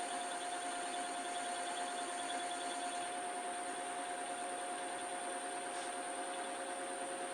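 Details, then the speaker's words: Lathe facing rusty stock for a Schaublin SV-51 variator shaft, low-force insert, setup rattling even after tightening: steady high whine through the cut over faint hiss; cause not confirmed. "I'm using an insert which has quite small cutting forces. It helps with this kind of equipment. It's whining."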